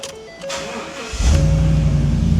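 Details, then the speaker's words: 2015 Ford F250, salvage auction supposed flood car, started again: dash chimes, brief crank, V8 fires at once into strong even idle; clean healthy start. "And she's alive, you guys."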